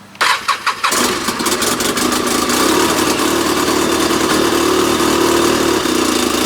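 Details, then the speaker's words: 2012 Arctic Cat F1100 Turbo snowmobile, 4244 miles, started on a borrowed battery: fires after a few cranks into a low, lumpy, uneven idle around 700–800 rpm that hunts; owner suspects the Hijacker programmer, sounds cammed, unconfirmed. "another issue that it has and i believe it has to do with the hijacker programmer because i read somewhere in the man in the manual for the hijacker programmer is your idol it doesn't want to idle very well it only wants to idle around seven 800 rpms so it sounds like it's cammed out"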